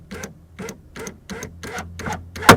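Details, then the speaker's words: 2000 Toyota Camry CE rear door power window raising: rapid rhythmic ratcheting clunks about twice a second ending in sharp bang; worn regulator piece lets motor go past the stop, regulator needs replacing. "and it's allowing the motor to go past the stop. So, this door needs a new regulator."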